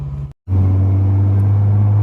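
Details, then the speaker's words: 2011 Jeep Wrangler 3.8 V6 with a supercharger, which runs hot. After a brief dropout, the idle holds deep and even now that the spark has returned to the missing cylinder. The owner suspects the plug wires are due for replacement. "वहां एक अच्छी सम ध्वनि है, क्योंकि पहले तो चिंगारी cylinder से गायब थी, इसलिए ऐसा लग रहा था मानो असली जोर से डाल रही हो, यह एक अच्छी सम ध्वनि है"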